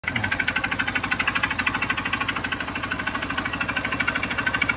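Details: Honda CRF150 single idling: sharp, steady, hard-edged metallic knock at roughly three per second rides over the idle; knocking suspected to be the connecting rod.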